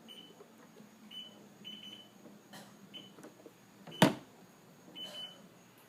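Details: STX15F that runs hot and won't start: faint short high beeps repeating about once a second with the battery disconnected and ignition off; a bad voltage regulator is suspected.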